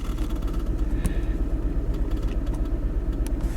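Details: Mini Cooper Clubman S driving after new plugs and a coil swap: a low thump about three times a second in an uneven stumble; misfire has moved to cylinder 1 plus a P0300 random misfire; owner suspects the high-pressure fuel pump, unconfirmed.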